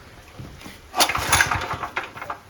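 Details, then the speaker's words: Honda GX160 engine on an auction-bought compactor plate, cheap copy carburettor fitted, brief run on starting spray: harsh, irregular clacking knock from inside the engine, also noisy when pulled over; cause unknown. "hear that clacky knocking noise that just sounds horrific so we're going to find out what that is"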